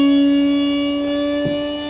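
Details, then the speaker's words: Large electric motor on test controller, spinning in reverse at about 4600 rpm of 6000 max, no load, drawing about 200 W: clean steady whine at one pitch, no grinding, almost no vibration. "Да, 200 ватт на холостом ходу для такого здорового двигателя это очень неплохо. Никаких вибраций почти нет."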